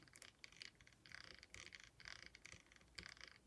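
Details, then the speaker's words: Losi LMT RC monster truck with Treal axle housings, driveshafts removed, axle turned by hand: light irregular clicky rattle as gears mesh roughly without binding; pinion mesh suspected too far in or out, unconfirmed. "okay so listen to this so you can absolutely hear the gears mesh but it's not it's not binding"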